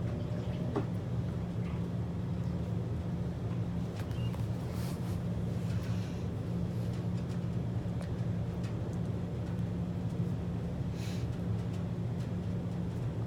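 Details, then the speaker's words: Maytag Centennial washer that would not rinse or spin, after replacing the defective actuator motor: a steady low hum with an even drone and no knocks or scraping as it spins up normally. The old actuator prevented full spin and agitation. "I can already hear that it's spinning which is good that's in the case that the actuator motor is working and the washer is working"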